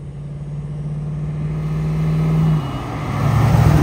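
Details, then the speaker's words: 1938 Ford pickup with 350ci V8, Weber four-barrel carb, Edelbrock Performer intake, Flowmaster mufflers, Turbo 400 three-speed automatic, pulling past under acceleration: deep, even V8 rumble builds smoothly, no misfire or rattle; healthy exhaust note. "what a beautiful truck sounds good drive is good what do you think drive's good"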